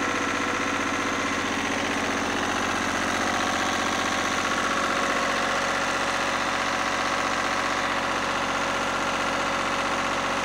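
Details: Lister #2 diesel generator just after fuel system plumbing from a former 20-gallon dry-sump oil tank, leak-check run (no drips): steady, even chug about four beats a second, no misses or odd knocks; normal diesel idle.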